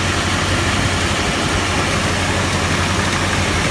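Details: Gazelle with ZMZ 405 engine, cold start, hood open: busy clattery mechanical knocking rattle over a steady low drone at cold idle; cause unknown, owner considering a major overhaul.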